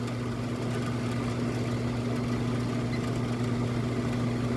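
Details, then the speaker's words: Mid-1990s Vornado 280SS 10-inch three-speed desk fan on high speed, drawing about 1.41 A: a constant low buzz with light plastic chatter. The rattle comes from two broken spiral grille spokes; the motor itself is nearly silent. "I forgot to mention two of the spokes are broken they're not missing but they're just broken at the end there I'll probably glue them to some point but that's what that rattling is from"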